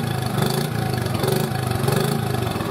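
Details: 1986 Honda TRX70 four-wheeler after a top-end rebuild with a new head and roller-bearing cam. It had previously billowed black smoke despite several sets of valve seals. Now a steady, even single-cylinder idle with no knock, ticking or smoke.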